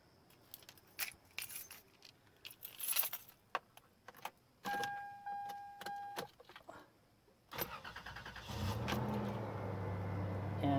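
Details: 1998 Toyota 4Runner, 279,522 miles, no check engine light: keys jingle, warning chime, brief crank, engine catches cleanly and settles into a smooth, even idle; normal start.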